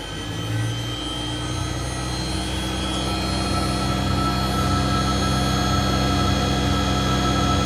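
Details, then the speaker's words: British Centurion Mk13 tank, about 50 years old, engine removed, electrics on main power: metadyne generator spins up with steady rising whine and hum, but turret and gun stabilization don't respond; cause unknown, safety switch being tried. "Nothing seems to be doing anything. I'll try that um safety switch the other way."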